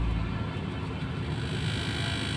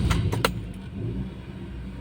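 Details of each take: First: Toyota car running on LPG and octane, idling in park and drive with AC; low uneven lumpy idle with unstable rpm, traced to a detached intake vacuum pipe; rough idle from vacuum leak. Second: Toyota car after vacuum-leak fix (loose pipe reconnected), just started on LPG, in Park with AC off: a few sharp clicks then a low, steady idle hum with no hunting or surging, normal idle.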